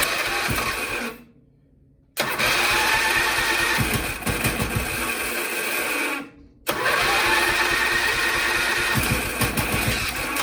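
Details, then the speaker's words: Briggs & Stratton 12 hp single-cylinder engine on an MTD Lawnflite lawn tractor, cranked direct at the starter: fires after two tries, then runs unevenly with a lumpy beat, throttle closed, owner tries choke; rough running after start. "Well, I'd expect it to run a bit better than that, but choke."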